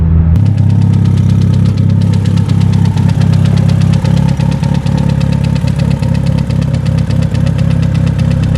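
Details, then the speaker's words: 500 WHP stock-block Evo 8 with AGT 62mm turbo, at home after hurt at drag strip, smoking less, probably from burnt leaked coolant: loud irregular knock about four per second over rough heavy idle; deep internal knock, possible rebuild, cause unconfirmed. "It probably just burnt all the leftover coolant that got into the engine and stuff, but now there's like a loud knocking that you guys can hear from there."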